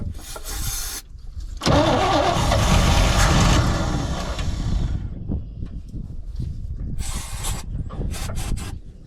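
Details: 1972 C20 pickup stored over 20 years, on starting fluid: it catches and runs rough and uneven for about three seconds, then dies; it also backfires. Owner suspects the fuel pump is not yet delivering fuel and the gas is poor.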